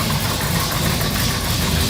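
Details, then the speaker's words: Vintage Ford highboy truck V8 with headers, fresh main and rod bearings, new packed Flowmaster muffler, idling in shop: deep heavy rumble with loud booming exhaust drone, louder than old muffler; owner suspects cam profile and/or headers. "Prett loud so yeah really loud like I can't even hardly hear myself talking here of course we're in the shop so that's going to make it worse"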